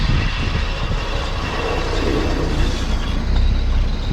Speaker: so this right here ends up being the pads on the brake pads on the rear passengers that i believe it was uh were metal the metal so any time she hit the brakes it was like it sounded horr